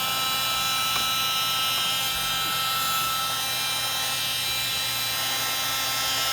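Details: Heat gun previously taken apart by owner, running: high buzzy whir with a scratchy grinding edge. Owner suspects the fan rubbing.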